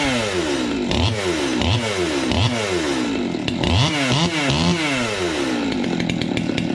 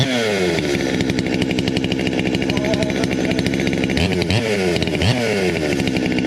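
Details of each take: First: 200T two-stroke chainsaw on first test fire after new carb, intake boot, impulse line, fuel line, fuel filter, air filter and spark plug: fires cleanly, revs rise and fall with throttle, runs strong; normal running, owner plans some tuning. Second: 200T chainsaw, cold start before new carb, intake boot, impulse line, fuel lines, filters and plug; fast steady two-stroke buzz at idle with a few throttle blips; idle sits a bit high, owner suspects mixture tuned in summer.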